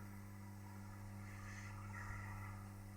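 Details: Home-made convection reflow oven: the door-holding solenoid runs off a bridge rectifier without a smoothing capacitor and gives a quiet, steady low buzz. Fixed later by adding a smoothing cap.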